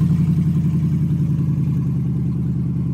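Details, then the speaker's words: Copart auction truck, tree-damaged, started on a charged battery: steady, even pulse at a smooth idle with no knocks or misfires; runs well, check-engine light believed due to cut-off O2 sensors. "truck runs pretty good obviously I'm pretty sure the engine light is because of the O2 sensors are uh caught off at the bottom"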